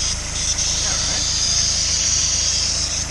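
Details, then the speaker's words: Honda S2000, F22C, over 130K miles, after timing chain service with OEM intake box refitted: loud steady high hiss over soft idle rumble, not pulsing; bypass valve hoses misrouted, checked against parts-catalog routing diagram. "i don't remember it making that noise before since the bypass valve is causing that noise"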